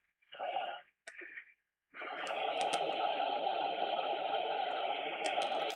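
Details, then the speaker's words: Sony ICF-7600D portable radio under repair: the audio cuts out abruptly twice, then returns steady. A loose internal connection is suspected. "No, we got a loose connection in there somewhere."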